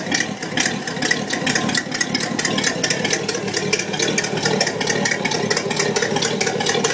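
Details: 1966 Buick Wildcat V8 idling with a sharp, crisp ticking over the rumble: exhaust leak (part 2).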